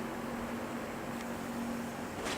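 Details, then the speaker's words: GE W 25 box fan after repair of worn single bearing that let rotor hit stator, enough clearance removed: smooth steady low hum with soft airflow hiss, scratching gone, no rubbing; running cleanly. "I took off enough space to where it's not hitting anything anymore else running the really smooth now the scratching went away"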